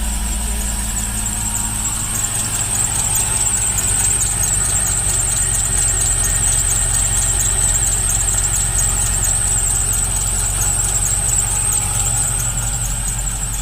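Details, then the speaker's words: Cadillac CTS-V supercharged, restarted after a cylinder 7 plug wire repair. New idler pulleys, brackets and belt are fitted; the squeal is back, steady and high over an even idle. Suspect the tensioner, possibly the lower idler or harmonic balancer, unconfirmed. "well other than the belt squeal that's back again"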